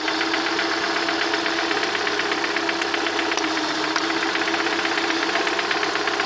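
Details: Lada 21126 engine at idle: steady light knock, roughly four evenly spaced taps a second over a smooth hum, clearest at the end; internal knock, cause unknown.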